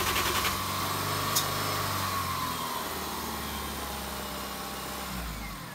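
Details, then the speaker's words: 1JZ-swapped FC RX7 drift build on a dying battery, being jump-started on temporary hacked-together wiring: starter churns at three to four beats a second, slowing as the battery sags, never fires; crank no start, owner suspects insufficient power, cause unconfirmed. "Well, on that downer, I'm actually going to end this video. Fortunately, we weren't able to get it started"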